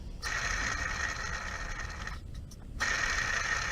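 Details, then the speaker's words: Hand-spun idler pulley on a Mercedes SL600 gives a dry, gritty whir with a thin steady whistle fading as it slows; worn idler bearing, a common failure, being replaced with a new OE pulley, which requires removing the fan. "this one is bad I mean this is a common thing on this course so it's good to do but you have to remove the fan"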